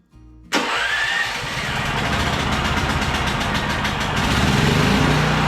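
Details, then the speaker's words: Champion 5500 W generator after 4 years without maintenance, now with new oil, battery and hour meter: fuel on, choke on, electric start catches within half a second, then settles into a steady even run with no knocks or misses; normal start. "Let's try and start it. Turn the fuel on, turn the choke on, and we'll try the electric start."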